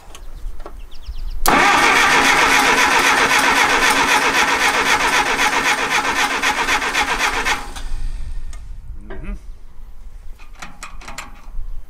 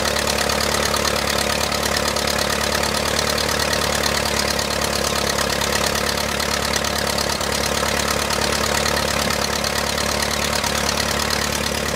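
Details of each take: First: 1959 Case 300B (311B) tractor, 4-cylinder gas engine, parked outside 10 years, cranking in neutral with choke and a quarter-inch throttle: steady even cranking, about four beats a second, never fires; coil control wire stays solid, no distributor impulse. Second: 1959 Case 300B (311B) tractor, 4-cylinder gas engine, parked outside 10 years after overheating from a stuck thermostat; after filing the coil points it idles steadily at about four firing pulses a second with no misses or knocks, running cleanly.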